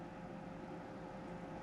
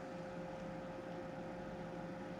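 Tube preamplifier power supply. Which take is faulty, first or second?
first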